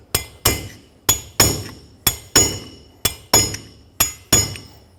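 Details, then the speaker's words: 2011-2016 Ford F-350 rear wheel bearing race tapped into the hub without an installer tool: ringing hammer taps about once a second, turning crisper and more solid as it bottoms out. Race fully seated. "That's completely bottomed out. You can hear a clear difference between when it's still going down and when it is fully seated."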